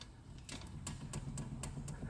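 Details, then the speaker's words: 2008 Mercedes-Benz: sharp regular clicks about four per second as the front wheel is rocked. There is slight play in both wheels, and the wheel bearings need adjustment. "there is a slight play in the both Wheels"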